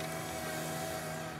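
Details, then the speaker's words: John Deere 1025R three-point hitch lifting a dirt-laden disc harrow: over the tractor's drone a thin steady whistle holds about a second then fades; hitch not strong enough, hydraulic relief valve opening under overload. "one of the challenges we're having is lifting this disc having a challenge in two ways first the three-point hitch is not quite strong enough to lift all of this disc once we got some dirt on it okay so you can actually hear the relief valve at certain"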